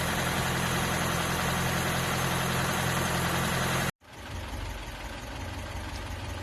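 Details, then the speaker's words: Mk3 Ford Cortina Estate after carburettor rebuild, warmed up after running on choke: steady, even idle with a smooth low rumble, no knocks or misses, then shut off; idles as it should and revs nicely. "there you go Simone one carburetor rebuilt warmed up and idle in as it should it revs nice"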